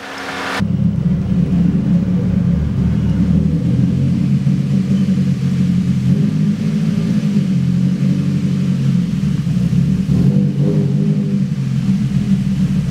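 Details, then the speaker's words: Nissan 240SX with a rough, lopey cam-like idle that surges and sags; when the clutch is dumped rpm drops sharply, climbs to about 1700 and slowly settles; engine smells oily; owner suspects a vacuum leak. "for whatever reason this car sounds like it has a cam at idle if you guys can identify what's going on I'm thinking vacuum leak or something along those lines"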